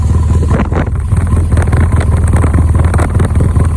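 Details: 2010 BMW R1200GS Adventure boxer twin, 27,000 miles, at idle: lumpy idle with uneven low thumping and loose clatter on top, slight mic wind; abnormal engine noise, source unclear.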